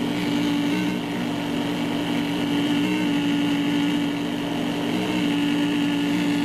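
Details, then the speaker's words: Cheap generic laptop power adapter with ungrounded AC pin, noise heard through speakers as a hand nears the chassis: steady electrical buzz with a sharp tone near 300 Hz and hiss; extremely poor shielding and design. "So these things obviously have extremely poor shielding, bad wires, bad design, bad."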